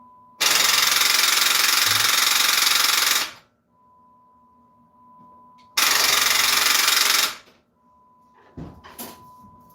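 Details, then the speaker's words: Vehicle that had sat a long time, jump box connected: two harsh bursts of fast rattling clicks, about three to four a second, with no cranking or catching; rapid clicking when cranking, no start, cause unconfirmed. "Nope. That sound, nope, no good. I knew it. All right, well, we need some extra help."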